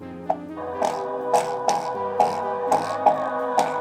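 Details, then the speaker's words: JBL Flip 2 Bluetooth speaker playing music with a crackling fault: thin, quiet output with almost no bass and rough crackly bursts, as the missing or bad surround ring no longer supports the main cone. "The volume is less. So alright. The volume is also less because the ring is not helping the main cone here. Because of that, the action is not proper, the sound is not coming as it should come."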